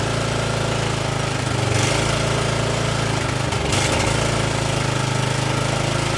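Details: Exmark commercial mower that would not start in spring and runs lean, first start on choke (no primer), believed flooded with black then white smoke. A rough small engine swelling and sagging every couple of seconds at no load: engine surging.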